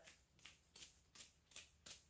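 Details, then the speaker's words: Honda PL3 D16 manual transmission, removed input shaft bearing spun by hand: soft smooth whooshes about every third of a second, no rumble or grit; bearing still good, replaced anyway. "if you can hear it it's actually not noisy at all so this input shaft bearing technically is still good"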